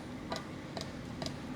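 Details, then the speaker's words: 1997 Mercedes S500 coupe cabin: sharp, dry clicks about every half second over quiet hum as the side power mirror motor keeps going when it should be at rest; cause unknown. "Uh, this thing is still going off, too. We got all kinds of sounds going on in this car."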